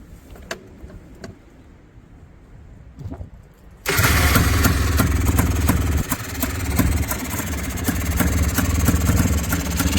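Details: FL400R single after carburetor rebuild, previously running very rich with choke suspected: catches, revs and holds a somewhat uneven idle; runs again, fuelling not confirmed by ear.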